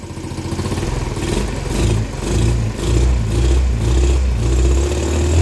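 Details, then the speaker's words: 50cc two-stroke scooter, kick-started after tinkering, throttle cable just hooked up: buzzy rising run with throttle blips, no misfire or stalling; running not bad, though it still needs more tuning. "running not bad I'll take it not bad for a couple hours of tinkering"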